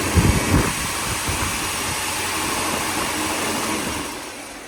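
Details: 1957 Mercury 368 cu in V8 with a loose, uneven engine knock under a hissy idle, worse when cold but still present at higher rpm when warm; cause not identified.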